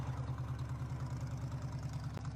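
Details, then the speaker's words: 1977 Jeep CJ5 with AMC V8, just revived from non-running and prone to flooding with a leaky carburetor: deep, steady, slightly lumpy idle, shaking the whole Jeep yet humming quietly with no knocks; normal AMC V8 sound. "oh she's torquey the whole jeep is shaking oh she hums yeah nice and quiet oh yeah"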